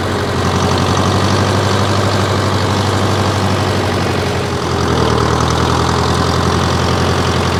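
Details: 1968 John Deere 500A diesel tractor (industrial 3020), whose 10+-year-old fuel owner blames for stalling and up-and-down RPM, started on a warmer day after sitting a week: steady even low chug, no hunting or misfires; healthy idle.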